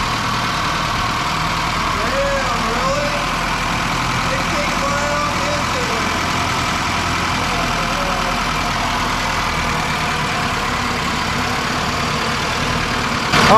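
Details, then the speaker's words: Datsun with KA24E engine, first start after long sitting, fuel tank cleaned and new filter: rough idle after cold start with light top-end clicking from the hydraulic lash adjusters, common on this engine. Lash adjuster ticking. "And well, you could hear some clicking going on. That's very common on these KA24E engines."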